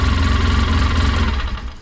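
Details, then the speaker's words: 2011 Polaris Ranger 800 XP after replacing a vibration-broken TPS sensor wiring harness, check engine light cleared; deep throbbing idle with strong steady pulses and heavy shake but even firing; normal idle. "It seems like it's running okay."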